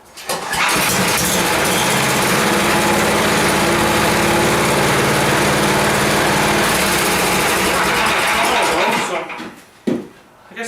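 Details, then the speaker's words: 10 HP Tecumseh Yard Machines snowblower, choke off, crud apparently cleared without teardown, started on key: steady even fast patter about nine seconds, then shuts off; runs pretty good. "good so it seems to run pretty good um just you know a bit of crud in it and just get cleaned out"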